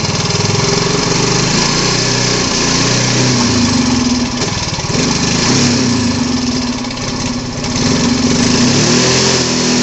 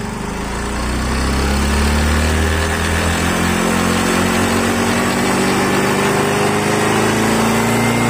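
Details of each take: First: Yamaha Mio Fi 125 scooter that suddenly won't take throttle: single cylinder putters at idle, then sags and stumbles instead of revving when the throttle opens. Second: Yamaha Mio 125 scooter after fixing an intake manifold air leak that stopped it taking throttle: revs climb and fall with a clean rising tone, no stumbling or popping; running normally now.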